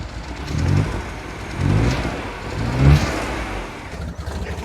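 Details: R56 Mini Cooper S, N14 engine, automatic gearbox, after head rebuild: revs in short ragged bursts, sagging between them with no crisp pickup; the camshafts were timed wrong during the rebuild.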